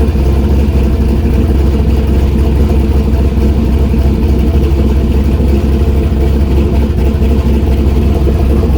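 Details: Turbo LS V8 Miata after exhaust heat wrapping and V-band joint realignment, not run too hot: deep steady V8 rumble with even firing, no ticks, puffs or hiss from the exhaust joints; running normally and healthy.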